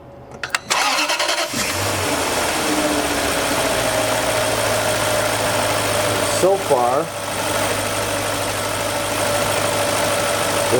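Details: BMW M62 V8 after correctly re-tensioning the belt tensioner, following a cooling system replacement that caused cold squeal and idle chirp: cranks, catches, settles to smooth steady idle, no chirp or squeal.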